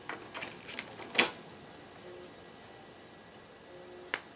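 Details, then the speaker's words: Macintosh LC III during system install from floppy: sharp clicks and brief buzzing seeks with quiet gaps, drive retrying repeatedly; floppy drive failing to read worn-out disks. "all right so the discs are shot so we're moving to plan B which is to copy the pre-installed environment from disc tools on into the system folder here"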